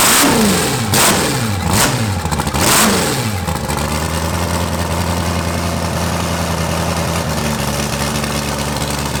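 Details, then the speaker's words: Eight-turbo V8 Mustang on first start after only an exhaust change, wastegate flappers open so exhaust bypasses the turbos, in a closed garage: catches with a few sharp rising and falling blips, then settles into a steady, throaty idle; runs cleanly. "Dude, that sounds different than anything I've ever heard ever. Way different than the 4-turbo Honda. Yeah, that sounds like it's angry."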